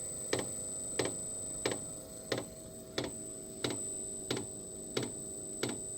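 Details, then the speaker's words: Diesel heater restarting after running dry (E08 out-of-fuel code, tank topped off) on a 15 A lithium phosphate battery with smart charger, 12.8 V shown: sharp even dosing-pump ticks about every two-thirds second as it primes after glow plug preheat. "So you see the fuel pump is not kicked in yet, so it's still heating the chamber. Well, this indicates 12.8. There you go, there goes the fuel pump."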